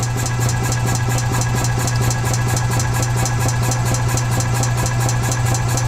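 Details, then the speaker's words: 2015 EZGO Express S4 gas golf cart, sat over winter, crank-no-start from water in carburetor; after fix, with fuel filter added, starts without choke and idles steady, smooth low thrum, no misses or knocks; healthy idle. "okay so we're able to get the engine to start without choke which is good"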